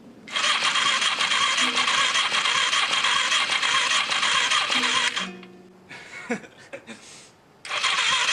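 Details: 1981 Suzuki GS450 that has sat a while, with compression and spark, previously cleaned carbs, a low battery on a charger and screwdriver ignition: fast, even starter whir on the first try with fuel, never firing; crank no start.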